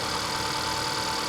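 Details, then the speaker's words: 2019 Acura TLX with 96,000 miles at an IAA auction, listed with unknown damage; engine idling with a faint even hum under steady hiss and no knock or tick, a very quiet, smooth, healthy idle. "Listen to the engine. You can't hear it."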